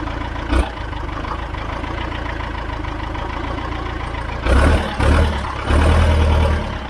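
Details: John Deere 410 backhoe diesel, first start after a complete engine rebuild, smoking from oil put in cylinders: steady low chug with a few throttle blips picking up cleanly; normal diesel idle.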